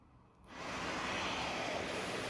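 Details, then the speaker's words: Full face CPAP mask safety flaps blowing shut when airflow comes on: a soft rush settling into a steady even hiss with no flutter or leak, normal flap closure. "So first, let's just watch them blow shut."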